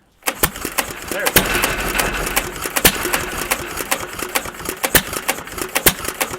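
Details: Stover CT1 1.5 HP hit-and-miss engine with Wico WK magneto, started after having been choked and flooded: sharp, unevenly spaced pops with quieter ticking coasts, firing only when it slows; normal hit-and-miss running.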